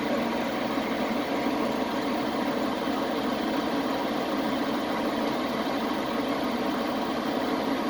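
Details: Chevy Express 3500 idling after the misfire was fixed: even, steady idle with no stumbles, skips or uneven pulses; engine now running smoothly.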